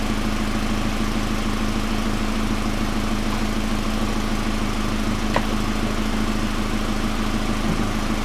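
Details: 1999 Pontiac Grand Am, rebuilt GM LD9 2.4 Quad 4 after first start-up, no alternator running: steady even idle, smooth low hum, no chirp, squeal or rattle; engine running cleanly, AC compressor clutch confirmed as the earlier noise.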